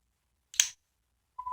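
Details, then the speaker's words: 3M sound calibrator switched on for calibrating a 3M SoundPro sound level meter: a click, then a steady, pure mid-pitched tone at 114 dB holds; normal reference tone. "You'll hear hear a faint buzzing noise and that means uh it's giving off 114 dB."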